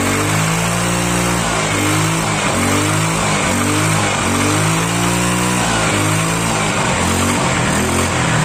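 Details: Yamaha Mio automatic scooter after repair of worn, loose kickstarter (engkol) shaft/boss that made the CVT area sound rough; engine revving now smooth and even, no rattle or knock from CVT, healthy.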